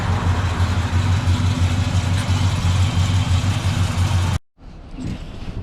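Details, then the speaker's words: 1965 Chevrolet Biscayne with restored 396 big-block V8 (block code JQ, appears to be a 1969 block), 4-speed manual, 12-bolt rear; slightly cold-blooded but starts right up, already warmed a little. Deep, even V8 rumble at idle, steady low beat, no ticks or knocks; normal idle. "It always starts right up, which is nice. Some cars you got to crank and pump, and this one you don't. It is a little cold-blooded."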